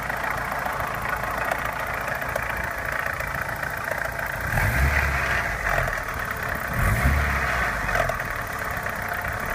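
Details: Opel Omega A Caravan 2.0 at idle: two knocks, one giving a diesel-like clatter, a second lighter tapping, loose and uneven over the low rumble; cause unknown.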